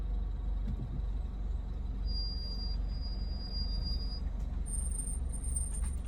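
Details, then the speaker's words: 2017 Land Rover Range Rover Evoque rolling slowly after driving all day: steady high squeal over road rumble, one thin tone then a higher one; owner says not rust, cause unknown. "I've been driving all day I don't know why they're squeaking like that it's not rust anything"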